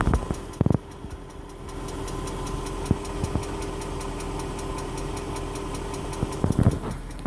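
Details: 2003 Range Rover HSE, 4.4L BMW M62TUB44 V8, idling with a crisp steady tick about four a second; oil possibly slightly low; tick later went away on its own.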